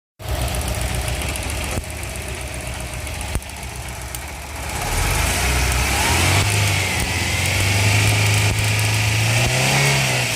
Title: Car Ignition coil check Engine cylinder misfire problem #mechancial #carbasicinfo